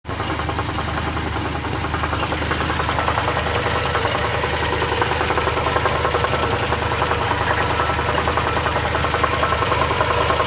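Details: Porsche 944 petrol engine at idle: fast, loose metallic rattle over the steady hum, started after refuelling on the way home and goes away when revved; cause unknown.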